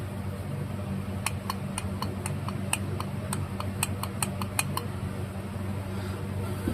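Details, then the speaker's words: 1977 Bolens G10 Briggs and Stratton electric starter, after fitting replacement gear, turned hard by hand: sharp even ticking about three to four clicks a second; owner unsure if normal, finds it suspect, cause unknown. "Oh, yeah. That turns hard. I've not worked on as many Briggs and Stratton electric starters as I have the Tacoma ones, but that is that normal."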